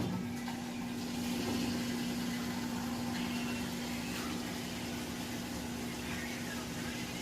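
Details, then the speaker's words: Frigidaire stacked washer and electric dryer unit, washer with a couple of towels, nearly new: steady low pump hum over sloshing water that cuts out after a few seconds as it drains all water before the final spin; normal draining. "Alright, so we're coming in on that final spin now, and it is draining out all the water."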